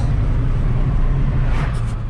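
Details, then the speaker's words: 1993 Ford Mustang Cobra V8 after new IAC, O2 sensors and struts, first real test drive: deep, even rumble, steady with no misses or knocks; running really nice. "It actually was causing a smell, It's running really nice."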